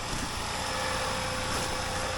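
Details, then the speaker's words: 2014 Honda Pilot after replacement engine install, fresh start, heard from under the car: steady even run, no knocks, ticks or grinding, quiet, no error codes; normal idle. "that sounds really good it's like so quiet now don't know if you can hear that but uh yeah seems like everything is going good uh sounds great"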